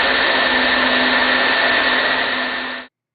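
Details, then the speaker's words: Sun Fire server just switched on, running boot-up procedure, about 247 watts: smooth steady fan rush with low hum and faint high whine, no wobble or rattle; normal fan noise. "You hear that now the server is fully active, and it's actually running the boot up procedure"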